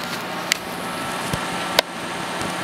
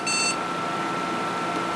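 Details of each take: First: Athlon XP PC with a suspect power supply, after a BIOS reflash and CMOS clear, powered back on: one short clean beep over fan hum, the normal successful POST beep, then a CMOS checksum error and defaults loaded. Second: Athlon XP PC booted from an MS-DOS floppy running the Award BIOS flash utility: one short high beep over steady fan hum, the error signal that the file size doesn't match because a mistyped file name pointed to a nonexistent file.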